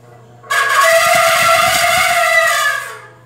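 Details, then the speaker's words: Electric fan gives a loud, steady, high-pitched trumpeting squeal like an elephant for about two seconds, then fades as the fan runs. The source of the squeal is unknown. "Sounds like an elephant. Elephant electric fan."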